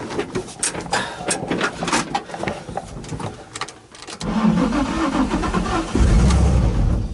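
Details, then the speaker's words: Flood-damaged Nissan 350Z that sat over a year, after a wiring harness and heater box swap, with the mass air meter not fitted: clicks, then the engine catches with a rough rumble for about a second and dies. Starts then stalls. "Unbelievable. It ran for a second."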